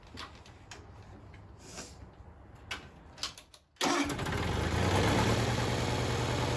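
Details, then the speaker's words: 1974 Bolens HT20 garden tractor returned to service after long storage, new battery fitted and fuel primed; engine catches at once and settles into a steady, even idle with no misses or knocks; healthy running. "we've been letting it run for a while so it can burn off most of the oil that was on the bottom of the exhaust"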